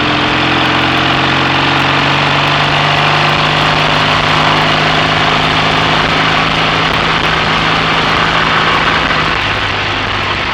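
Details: BSA A65 Thunderbolt with Boyer ignition, new plugs, resistor caps and battery, on a short test ride with lights on: even steady twin beat under load with no stumbles, occasional misfire cured by closing the spark plug gaps.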